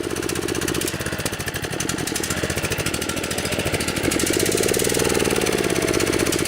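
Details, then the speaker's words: DR TR-1 trimmer, 6.75 hp Kawasaki FC150V engine after long storage, gummed carburetor: ragged, uneven chugging that idles but barely picks up when opened, then sags back; lean running and won't rev, suspected plugged main jet. "what that's telling me is the main jet inside the carburetor is plug because if it's idling the slow speed circuits inside the carburetor of commercial are still functioning so I suspect the main jet"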